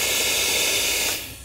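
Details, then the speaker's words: Mercedes Airmatic air strut, bellows removed, fed shop air then gun removed: loud continuous hiss stopping abruptly after about a second, air rushing out of the fitting hole and air bag; strut completely blown out. "it should hold air very well it's not holding air it's rushing right out of the the air bag where we remove the bellows so that tells me this air strut is completely blown out"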